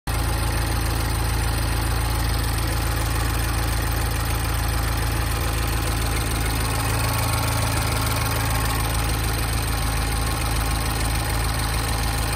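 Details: Mini with N18 engine at 38.5k miles, under-hood sound checked by Mini: steady, quick light ticking over an even idle with no rattle; this is normal direct-injector noise, the timing chain is fine, and it is inaudible with the hood closed.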